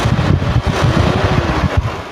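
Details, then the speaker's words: 1995 Toyota Kijang Grand Extra 1.8 KF52, engine revved lightly: a deep, even roar rising smoothly with no knocks or rattles. The engine is judged in good condition. "mesinnya suaranya gede tapi tetap halus Nah untuk mesin Insyaallah dia dalam kondisi baik"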